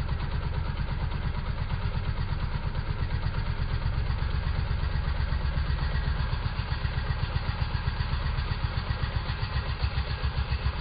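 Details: Chainsaw at full throttle against engaged chain brake: deep, heavy chugging about four beats a second, engine held down hard by the locked chain.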